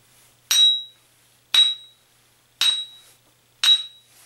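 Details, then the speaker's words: Ring test on a bench grinder wheel tapped with a screwdriver around its circumference. Each tap gives a clear, high-pitched ring, showing a good wheel with no crack. "that's a ring test and and because you heard that high-pitched ring this is a good grinding stone there's no crack in it"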